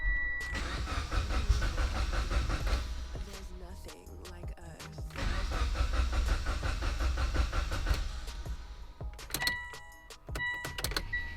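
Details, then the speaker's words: Mitsubishi Evo X after throttle body cleaning, during the idle relearn procedure; owner suspects unplugging the MAF forces relearning: the starter churns at about three beats a second in bursts with pauses and never catches; crank, no start. "Nice, now my car's not starting. What is going on here?"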